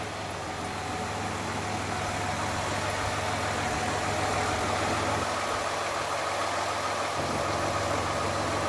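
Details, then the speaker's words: Car that sat about two years, after fuel pump replacement, gas treatment and priming the pump several times: smooth, even idle with a steady low hum and no misses, knocks or surging; engine running properly. "I put some gas treatment in and Prom the fuel pump a couple of times and now it's just purr like a baby"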